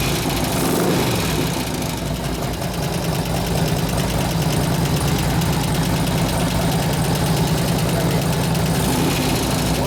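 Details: 2004 Harley FLHT Twin Cam 88 just after cam change and tensioner bearing repair, with new lifters, fresh gas and new oil: steady idle with a light, fast tick over the lope. New lifters not yet pumped up; supplier says run 15–20 minutes.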